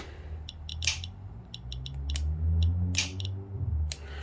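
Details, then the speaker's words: 1968 X-ray machine fired from 15 m via the repaired trigger cable on its shortest exposure setting. Brief clusters of sharp clicks over a low hum end quickly; the timer seems to be working. "that's a very short burst I think the time is working"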